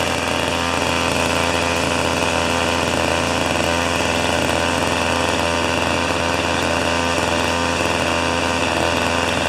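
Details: Old two-stroke snow thrower, sitting for years, restarting on old fuel: a buzzy, steady, even speed with a constant rasp and no misses; runs fine.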